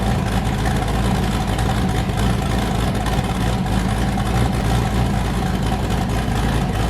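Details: Boosted V8 with a new cam, fired up after a repair and not yet warm; it had earlier hit 23 psi and blown a coupler. A deep, steady idle with a hard, rhythmic chop on every cylinder and no misses: a normal lopey cam idle.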